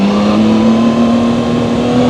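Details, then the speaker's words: Zontes 703RR inline-three motorcycle at 9,500 km, accelerating. Engine tone rises cleanly with none of the buzzing heard at low speed in second gear; healthy engine sound. "Upon the acceleration, when you go a little faster, you don't hear the buzzing. You just hear this beautiful inland 3 engine sound."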